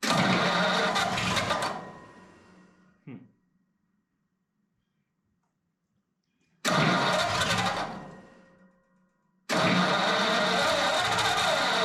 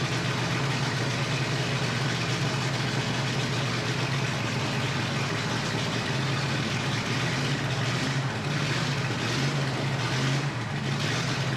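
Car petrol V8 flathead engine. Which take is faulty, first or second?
first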